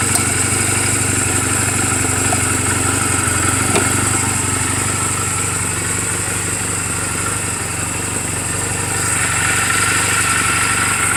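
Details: 2007 Honda Rebel 250 idling in neutral just after an oil change and valve clearance adjustment; quick, smooth, even beat about four pulses a second, no knocks or misses. Mechanically sound, only cosmetic flaws. Normal healthy idle.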